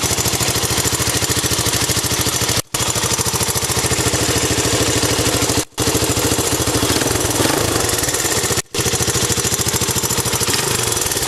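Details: 1984 Honda Z50R mini bike at idle. Quick, even single-cylinder putter with steady pulses and no knocks or misses: healthy idle.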